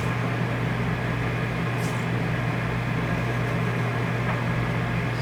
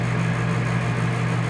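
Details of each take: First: RV rooftop air conditioner running after hand-tightening the roof mounting bolts: steady low hum and even airflow hiss, no rattle; loose bolts had caused the fan vibration. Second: RV rooftop air conditioner giving a loud, steady low hum and drone as it vibrates with its roof mounting bolts loosened; it quiets again once the bolts are hand-tightened. Vibration from loose mounting bolts.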